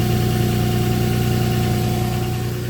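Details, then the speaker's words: 2007 Nissan Pathfinder 4.0 V6 with 5-speed automatic at idle, heard at the transmission with the hood shut: a constant mid-pitched whine over the engine hum that grows louder with revs. It comes from the transmission, and a fluid and filter change fixed it. "it's definitely coming from the transmission so i'm going to drain it which is really easy because it's got a drain plug"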